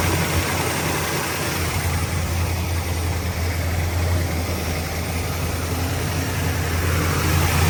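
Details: 1972 Chevrolet Nova carbureted V8 with Holley carb, after leaning idle mixture and adding ignition timing: steady, even low idle with smooth rumble, no misses or stumbles; normal idle.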